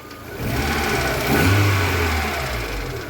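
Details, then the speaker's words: VAZ 2112 just after a new ignition module was fitted, still on the old HT leads, engine warm: an even, steady idle with one brief throttle blip and no stumbles. Normal idle after the repair. "Давайте запускать двигатель зажигание поехали работает стабильно идёмте под капот работает отлично"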